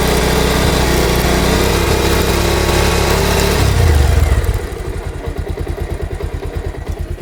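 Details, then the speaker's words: Bajaj Pulsar motorcycle in gear after chain noise fix; revs then steady thumping idle with no chain slapping or rubbing, quiet like a new chain; normal. "এই sound no sound. একদম new condition. বাইকের যেরকম new bike হলে যেরকম new chain হলে যেরকম same to same sound."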